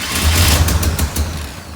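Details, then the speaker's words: 1967 International Harvester Loadstar 1600 truck during overhaul, carburetor mixture screws being adjusted. Brief run winding down with sharp puffs and pops over low rumble. Exhaust noise, owner suspects a loose bolt or that a backfire separated something. "the sounds like the exhaust we might have both was that one the way I think that one bolt was one bolt or I wonder if that backfire separated something"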